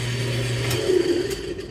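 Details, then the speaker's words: Old Kenmore top-load washer on regular wash: motor hums and whirs steadily but the agitator and drum do not move because the motor/transmission coupler is broken. "You can see if you open it quickly, you can see the drum or agitator not spinning, but something is spinning there."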